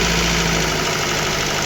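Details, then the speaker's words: VAZ 2115 1.5 injector engine, fully warmed up after a head swap with valve clearances set: a fast light ticking over an uneven idle. Pulling the plug caps doesn't change the sound, ruling out a con rod; piston slap or camshaft is suspected. Ticking noise. "Ось двигун у нас повністю прогрітий. Отакий у нас є цокет."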